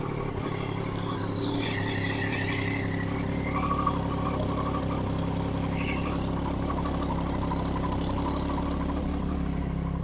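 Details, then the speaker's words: Crashed Triumph Daytona motorcycle being rebuilt, idling in neutral after fuel was added to a near-empty tank, with a steady, even hum and no misses or knocks; normal idle. "right I've plunked a bit of fuel in yeah that sounds a lot better so we're in neutral"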